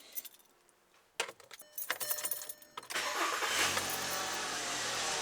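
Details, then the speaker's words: 2007 VW Jetta MK5 2.5L with 200,000 miles, after repairing the rust-broken exhaust that had been straight-piped from the downpipe and clamping it: the engine cranks, fires cleanly and holds a smooth, steady idle with no exhaust leak noise. Much quieter; normal startup. "Oh, yeah. Yep, guys, I think that's gonna do it. Check it out. I'll let you listen to it. Much, much quieter."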